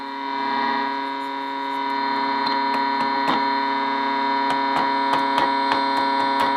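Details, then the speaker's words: Bearcat BC-210 scanner with power supply checked good and signal injected at input; steady buzzing hum broken by irregular sharp crackles; owner suspects a bad solder joint, looking at IC1 in the front end. "Almost sounds like a bad solder joiner connection. What's happened? It doesn't sound good."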